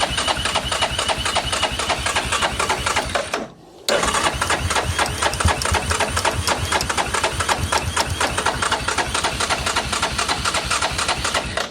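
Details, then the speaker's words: 2002 Yamaha Grizzly 660, sat 8 years, with a new aftermarket carburetor, new spark plug and choke on: steady starter churning without ever catching, because the fuel valve was left off. "question is did i turn the gas on no i did not how about that it helps better if we got gas right guys turn the gas on"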